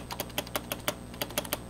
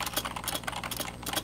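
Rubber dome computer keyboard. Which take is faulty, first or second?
second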